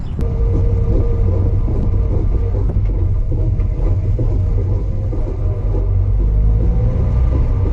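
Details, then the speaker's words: Mazda RX-8 on track day at Sonoma Raceway, driving out: heavy low rumble and pulsing drone that grew louder; driver suspected axle, diff or transmission, but the cause was loose lug nuts. "That's a concerning crazy sound. That sound to me caused all kind of things to be going through my head. I had no idea what was going on."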